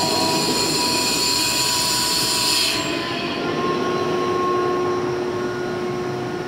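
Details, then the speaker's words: 2005 Boge 40 HP variable-speed compressor, 480 V, 79131 run/1909 loaded hours, at max rpm under load after a ball valve is opened, rebuilding pressure at about 68–70 dBA: steady high whine over rushing hiss, running cleanly and normally. "right here it is at max rpm obviously it's trying to get up the pressure here and we're running it's probably 68 to 70 DBA"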